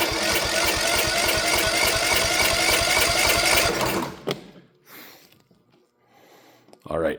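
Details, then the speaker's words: Troy-Bilt mower, Kohler 18 hp, new carb solenoid fitted, choke on, no air filter: fast even chugging about four seconds then abrupt cutout; fires with ignition but won't keep running, fault still present. "All right, so I knew there was still something wrong. Maybe it draws better. I've had things that don't like to run without an air filter."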